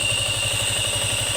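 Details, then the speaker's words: Yamaha Sniper 155 FI at idle with radiator fan running: piercing steady high whine over an even idle pulse of about twelve beats a second from the water pump. The pump is to be dismantled. "pero ang ihang oil pump water pump niya nagsigi panaghoy na siyang disbantulon tana na to kung nahitabo sa water sa water pump niya"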